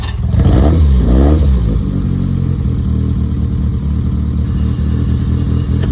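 A couple of quick blips, then a steady, even low drone pulling away with no misfire or stumble; it sounds healthy.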